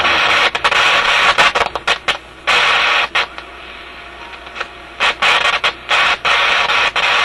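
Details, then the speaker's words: Canadian General Electric KM-5 vacuum tube radio: harsh static bursts cut in and out irregularly, several per second; intermittent fault in audio output stage, suspected heat-related contact or bad tube contact. "kind of sounds like a heat related thing or something he's making contact Heating and then breaking off it's quite a distinct on and off to it"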